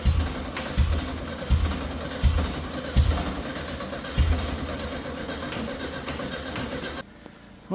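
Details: VW Beetle project after chasing a fuel-delivery fault: slow, uneven cranking bursts, about 80 a minute, with brief catches that die; battery going flat. Cranks but won't start; spark plugs to be checked next, cause unconfirmed.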